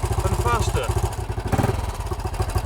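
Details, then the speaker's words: 1968 BSA Starfire single after carburettor idle and mixture screw adjustment: blipped, then crisp, even thumping about nine beats a second with no misses or hunting; sounds much better, running cleanly. "Just give it a blip. Sounds pretty good. >> That sounds much better. >> That That sounds lovely to me."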